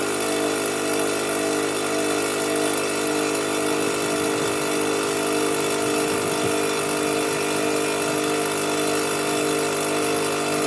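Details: Fortress 5 gallon air compressor after pressure switch replacement (part #56402): constant loud motor drone with steady hum, no knocking or rattling, pumping up before cutting off at 225 psi; normal running.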